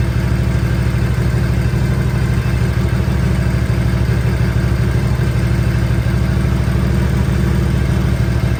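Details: 1957 Harley-Davidson Panhead, first start after a top-end rebuild (valve guides checked, valves lapped, 20-over pistons, new gaskets), choke on: an even, loping V-twin idle, steady and clean with no knocks or misses, warming up.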